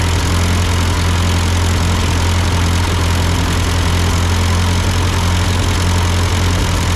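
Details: Ford 8N tractor at idle with no load, just after a carburetor adjustment. It had sputtered uphill, blamed on a cheap Chinese carb; an old Marvel-Schebler ran fine. Steady, regular low-pitched beat, no misses or surging: normal idle.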